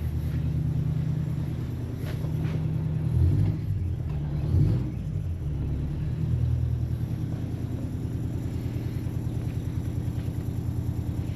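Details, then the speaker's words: Port engine of a 1991 52ft Hatteras cockpit motor yacht (twin diesels, one engine blown) fires up instantly with no smoke: deep, even diesel rumble settling to a smooth steady idle, no misses; healthy engine, quieter than the Broward's. "Port side engine fires up instantly. Just like the Broward, no smoke. And it sounds remarkably similar as well. A little quieter in this."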